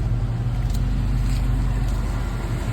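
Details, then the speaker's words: Chevrolet K5 Blazer, which never used to start and run cold, after the starting and running issue was fixed: steady, even low idle rumble, RPMs dropping smoothly as it warms up, no misses or knocks. Normal warm-up idle. "So it's getting up to temperature. Oh, this makes me so happy. I love it."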